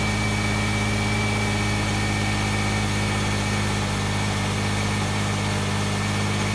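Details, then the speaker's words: 2009 Subaru Forester AWD boxer engine, cold idle after cold start: steady low rumble, even firing beat, no knocks or ticks on top; healthy, normal cold idle. "I was gonna do a cold start see how she rolls over"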